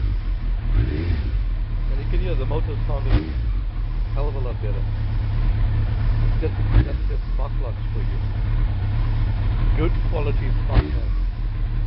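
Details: Suzuki Hayabusa after a spark plug change, cold start with the chokes pushed in, idling just over 1000 rpm untouched: a deep, even engine drone that holds steady with no misfire or stumble, so the engine runs clean and healthy.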